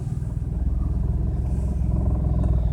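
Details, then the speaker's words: BMW 335i cold start the morning after spirited driving: screeching on startup, lumpy uneven idle dropping beats, heavy smoke and fuel use; lambda readings suggest cylinders four, five and six not firing. Cylinder misfire, fine again after a few days. "yeah it's not firing on four five and six I think is what that is"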